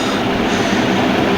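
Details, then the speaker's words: Vane cartridge hydraulic pump test run after disassembly, cleaning and cartridge reassembly: steady, even rushing hum with no knocks or surges, oil flowing through output hose; pump running smoothly and delivering oil normally. "The pump is working. See that oil is flowing right through the hose."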